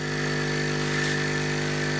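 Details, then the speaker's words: Hailea ACO-318 45 W laser air-assist pump running on a table: steady, loud mains-frequency hum with an even buzzing drone, no pitch change; bass-type low-frequency noise from pump vibration. "ny pump that makes a reasonable pressure is going to make a noise but this gives of a bass type noise which really aggravates my ears"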